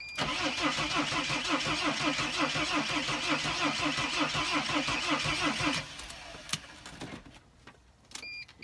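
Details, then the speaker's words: Mercedes Sprinter van with a no-start condition, started in neutral after clearing codes: starter cranks at an even chug, about three strokes a second, for six seconds but engine never fires; owner suspects mass air flow sensor, not confirmed. "it has to do with a mass air flow sensor and I haven't had this problem in the long time but usually either the vehicle will not start or it will start up and quit"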